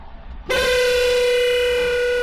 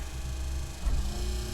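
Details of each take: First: Wiper motor with wiper arms removed, bare spindle turning, gives a harsh buzzy rasping whine; noise began after heavy rain use; cause not yet known, owner suspects earlier spindle replacement. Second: Wiper motor reconnected after being taken apart and adjusted following a horrible noise during heavy rain: low, even motor hum with no squeak or grinding on the first speed of the two-speed wipers; normal running.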